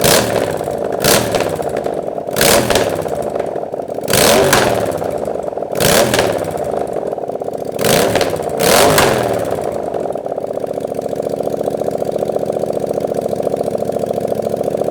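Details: Honda Grom with a 700cc Yamaha FZ-07 engine, running just after its first start: catches and settles into an even, steady run with clean rev blips and no knocks or rattles, sounding healthy.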